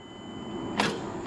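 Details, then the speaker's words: 2010 Mazda that arrived dead: the key produces two sharp clicks up front, more than just a relay, with no cranking at all. The battery read only 10 volts, but the starter cannot turn the engine, which is seized. "i'm assuming you can hear that something's clicking up front sounds like more than just a relay"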